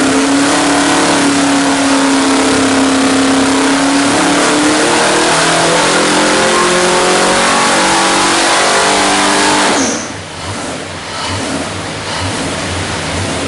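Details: 427 cu in Ford small-block stroker (forged internals, Dart aluminum heads, Edelbrock Air Gap, Comp hydraulic roller cam, carbureted, MSD ignition, 500 hp/500 lb-ft) on engine dyno at full throttle; strong even roar held at high revs about ten seconds, then throttle closes and drops off cleanly; healthy.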